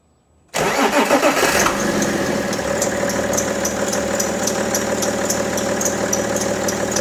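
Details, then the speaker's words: BMW E90 325d/330d M57 diesel cold start in the morning: cranks, catches, then fine high chirp repeating three or four times a second at idle, accessory belt chirp when cold. "hay poco ruidos tan molestos como este y tan irritantes cuando arrancamos el coche por las mañanas Especialmente cuando está en frío"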